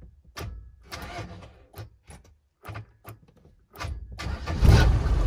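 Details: 1987 Mercedes 308D diesel motorhome, parked up for a long time, first start attempt: a few cranking bursts and stops, then the diesel catches and settles into a rough low clatter; starts fine.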